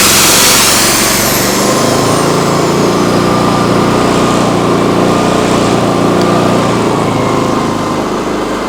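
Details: Briggs & Stratton P3000 PowerSmart generator after fuel pump replacement and tune-up, on premium ethanol-free fuel, holds a steady, fairly even drone with a brief whine while powering a plugged-in tool; it runs healthy under load. A leaking fuel shutoff is found afterward.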